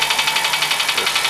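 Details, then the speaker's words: Car engine at idle: sharp, light ticking about eight per second keeping pace with the engine; worn hydraulic lifter (tappet) in the cylinder head, not broken rings or head fault. "Esse é o tucho do motor que está desgastado ali do cabeçote. Então quando você for no mecânico, você já vai sabendo qual é o problema. Quando ele está com esse barulho, esse é o tucho que está desgastado."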